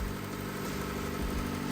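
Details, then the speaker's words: Nissan Micra K11 with a swapped replacement engine, on its genuine first start: smooth, even idle with a steady low rumble and no knocks or ticks; normal idle. "she sounds good I think so that was that was genuinely the first the first crank"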